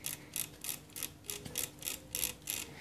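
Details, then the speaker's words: Mixer grinder motor spindle turned backward by hand: light, crisp clicks about three per second, showing carbon brushes are fine and making good contact. "ये click click कर रही है इनकी आवाज़ जो है आ रही है तो समझ जाइएगा कि आपका जो कार्बन ब्रशेज है वो बिल्कुल सही है।"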